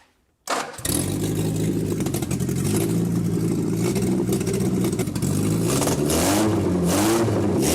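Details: 1967 Austin Healey Sprite back running after years of neglect, carbs being adjusted by hand to level the idle: cranks, catches quickly and settles into a steady, even run with clean revs and no misses; normal running.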